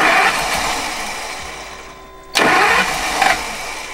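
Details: Newly bought RV, likely with leftover starting fluid in it: the starter churns, the engine briefly catches with a surge, then sags and fades; it cranks but won't keep running, cause unclear.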